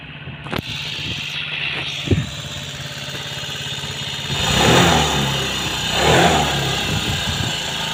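A few stumbles, then the engine catches and settles to idle with two clean blips of throttle; it runs fine after long storage.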